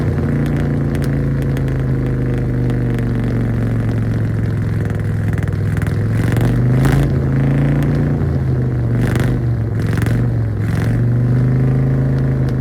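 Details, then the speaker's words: 1966 Chevrolet truck not run since 1996, first run after parts sanded and lubed: steady even low V8 rumble with smooth beat and light clatter, lots of smoke, sounds pretty decent; engine running. "Oh my god, this is awesome. The dang thing sounds pretty decent. A lot of smoke. Well, we got it running."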